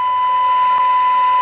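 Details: Circa-1977 Sears AM walkie-talkie receiver, drifted slightly off frequency over the years, after peaking the inductors: clean steady tone near 1 kHz over faint hiss, pretty much on frequency; receive alignment done.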